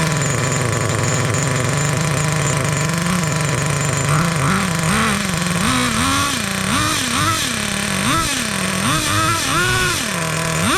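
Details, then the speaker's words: 2002 Traxxas T-Maxx with TRX 2.5 nitro engine, sat 17 years, one-way starter bearing cleaned, mixture leaned after running rich: high buzzy revs rising and falling cleanly; normal running. "oh man this is absolutely fantastic 17 years and we got her up and running"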